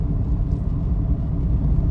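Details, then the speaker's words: Mitsubishi Mirage with strong vibration, revved while freewheeling before any test drive: heavy, steady low drone and rumble persists even in freewheel; mechanic suspects a crushed transmission, possibly engine, cause unconfirmed. "Kahit naka-free wheel siya, naugong pa rin yun. Ito, revolution tayo. So, bago man tumakbo, hindi ganito ang mga Mirage oh. Parang nadurog, parang makina, parang transmission no?"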